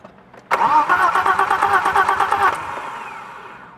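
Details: BMW M20 engine: starter spins about two seconds at an even quick beat with no firing, cranks but won't start; fuel pressure being checked.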